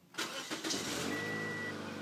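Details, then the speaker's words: 2007 Toyota Yaris that squealed from a replaced fan belt on fast key turns: with the key turned slowly it cranks briefly, catches and runs steadily with no belt squeal; an onboard computer sending faulty data to the alternator is suspected. "and then he said if he turned the key really slowly when you turn it on it won't make that sound so let's try it really slow one click two clicks"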